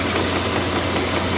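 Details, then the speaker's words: 2005 Jaguar S-Type 4.2 V8 (non-supercharged), cold start: fast, light knocking under the engine hum from the idler pulley, serpentine belt wobbling side to side; sometimes chirping depending on ambient temperature, worse in extreme cold; fix is flanged idler pulley replacement. "so when I do a co-star I can clearly hear a knocking sound from energy Bank"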